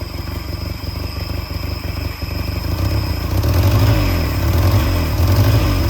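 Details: Peugeot 403 pickup engine, first start after over 20 years abandoned, freed throttle butterfly: low, lumpy idle of about four pulses a second with some clatter; one cylinder suspected not firing well, unconfirmed.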